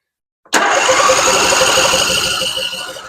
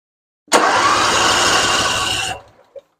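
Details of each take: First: Husqvarna RZ46i zero-turn mower, sat for years, during fuel system cleanup: starter churns steadily but engine never catches and dies off; fuel not getting through a gummed carburetor. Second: Husqvarna RZ46i zero-turn mower after solenoid replaced and bad ground from self-tapping screw cleaned: engine catches immediately on button, runs steady and even two seconds; clean, healthy start.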